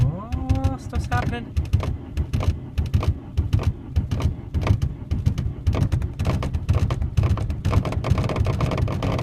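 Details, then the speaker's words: 1991 VW Jetta turbo diesel with anti-gel added to the fuel line: long starter cranking with rapid, uneven chugging and brief catches that die once the key is released, so it is very difficult to start. "oh great when it takes off right when it starts to take off like that I let go of the key and then it just stops it sounds like it's running but it's really not just this starter turning it over"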